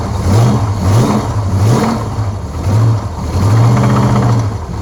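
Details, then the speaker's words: Supercharged small-block Chevy V8 in a 1976 Corvette, blipped with a deep rod knock under the revs, heard on one side; the knock possibly shows up now because the oil is a bit thicker; engine change planned. "Oh, blow-by is it's knocking on this side. Yeah, I can hear it now,"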